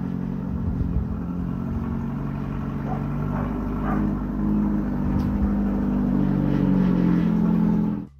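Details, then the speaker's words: 1995 Ford Escort wagon before exhaust replacement: ludicrously loud, raw, rasping exhaust note swelling with revs; only muffling is the close-mounted catalytic converter, with a six-to-eight-inch hole between the cat pipe and rest of the exhaust. Exhaust leak. "it was conveyed that this car is pretty ludicrously loud the only actual muffling going on right now is it still has a cat"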